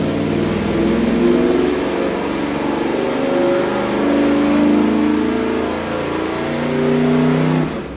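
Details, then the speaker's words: Freshly rebuilt Ford FE 390 big block for a 1967 F100, on the engine dyno with Aces EFI, first fire-up. Deep, even burble climbs smoothly on revs and settles back with no knocks or misses. Normal running. "Big blocks sound good. Big blocks sound good. That sound real good. Fired right up, boys."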